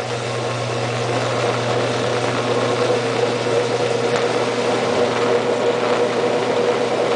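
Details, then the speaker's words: Washing machine after draining: steady low motor hum with a faint thin whine and no rising spin-up; drum not spinning, mother says it should be, owner unsure whether this is normal. "my mom is saying that it's supposed to be spinning right now, but I don't know, you were like it's normal like this"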